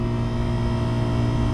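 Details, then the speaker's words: Daikin McQuay water-source heat pump compressor running after wiring fix (contactor coil wasn't getting 208 V): steady, even hum, no knocks or rattles; air at grille 59 degrees and dropping, cooling restored. "the compressor running got a thermometer in the grill [Applause] 59 degrees and dropping"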